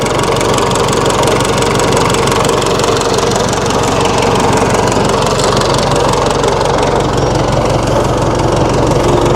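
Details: 1960 Massey Ferguson FE35 4-cylinder diesel tractor, after sitting long in a paddock: steady, even idle clatter with a regular beat and no misses; running fine.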